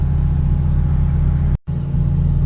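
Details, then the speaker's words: NA Mazda Miata, first cold start of the day after fitting a new custom remote idle control valve (old valve failed): steady even rumble, fast idle about 1,200 rpm with no misses or hunting, expected to settle to 1,000 when warm; normal cold start. "All right, cold start. idles pretty good. 11,200 RPM or so and then hopefully everything idles down and then it's ready to"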